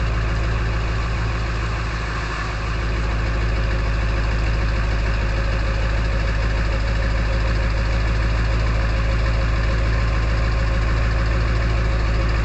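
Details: Early 1999 Ford F-250 diesel cold start at 34°F, high idle with exhaust back-pressure valve closed; steady even clatter, no misses or odd knocks; normal cold idle.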